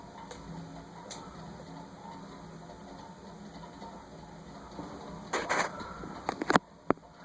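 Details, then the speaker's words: Wing TAT 48" ceiling fan running on 6 microfarads drawing 0.38 amps gives a low, rough whir with faint ticking; noisy, gritty bearings that still spin freely and grew louder after running. "Now remember, the bearings are noisy, but it spins very freely."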